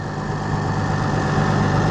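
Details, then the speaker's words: Oliver 770 tractor after the rebuilt carburetor reinstall; steady, low, even idle with no misses or knocks; declared fixed. "yeah we're going to say this is fixed so we're going to leave this one here"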